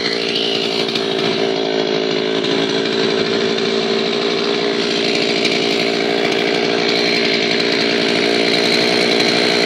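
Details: An old Zenoah chainsaw, repaired after it would not start from sitting unused, holds a high, even two-stroke buzz through the cut without bogging or surging: healthy under load after the fix.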